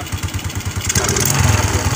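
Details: Suzuki Shogun 125 motorbike that was hard to start despite spark, fuel and compression picks up after kick-starting and runs smooth and even, steady firing with no misses; running fine.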